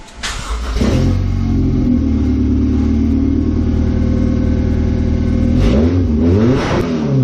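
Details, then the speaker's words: 1998 Honda CR-V with open headers, heard after muffler and exhaust pieces were fitted: loud, raspy exhaust blipped up and back down, pulling cleanly with no misfire. "Sounds good, right? For open headers."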